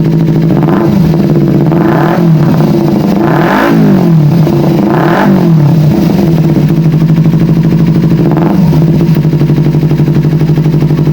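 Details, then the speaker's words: Kawasaki Ninja 250 FI twin after fuel pump replaced, pressure now 40 and stable: repeated throttle blips rise slowly and fall back, hesitant and lazy; acceleration still sluggish, throttle body next to be serviced. "stabil. Akselerasinya masih kurang responsif."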